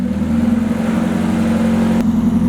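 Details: Freshly rebuilt engine (pistons and rods out and reassembled in about 3-4 hours): steady, even note holding a firm pitch, smooth pulses, no ticking or knocking; runs cleanly.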